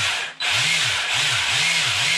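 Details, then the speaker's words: Arrma Senton BLX 3S RC truck after cleaning and maintenance, brushless motor run at 50% throttle limit, cooling fans running: steady high whir with smooth cyclic swells, no grinding or cogging; everything works correctly. "Hein, donc vous avez vu, hop, direction. Voilà, tout fonctionne correctement."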